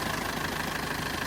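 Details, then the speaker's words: 2011 Mitsubishi Triton Cab 2.5 GLX diesel, 5-speed manual, 230,000 km, timing belt just replaced, no warning lights, engine bay: even idle with steady light clatter, no stumble, knock or smoke; normal idle. "ห้องเครื่องสวยสะอาดเสี่ยงเครื่องเ่องแน่นๆนะครับสายพานไทมิ่งเพิ่งเปลี่ยนมานะวันนี้ใช้งานได้ยาวเลยครับไม่ไอไม่พ่นนะครับ"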